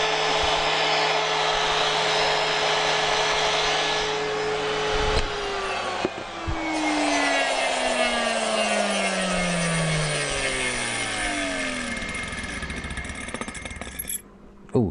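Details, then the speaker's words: Hoover Junior U1104 vacuum motor during refurbishment, run on the bench without being held in place: a harsh, raspy roar with scraping, then a falling whine as it coasts down. Rough-running motor. "doesn't sound good because that's not holding it in place right"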